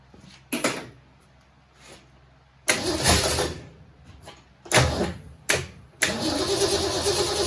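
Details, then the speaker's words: 1967 Mustang C-code 289 V8, four-speed, after a new fuel pump and filter: several cranking bursts and stumbles, then it catches and settles into an uneven, lumpy idle. Owner says it has carburetor issues but hears no noises; carburetor suspected, not confirmed. "well she obviously has some carburetor issues but she runs and we're happy with that"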